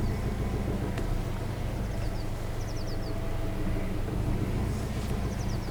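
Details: After replacing a worn squeaky V-belt with a new HKS belt and tensioning it; even low engine rumble at idle, birds chirping outside, no belt squeal or chirp; belt drive runs quietly.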